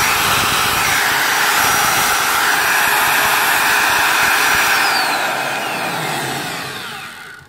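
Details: Magpro magnetic drill that would not turn on, after fixing the brush spring that had lost tension against the armature: strong steady high whir at even speed for several seconds, winding down smoothly when switched off; motor runs healthy.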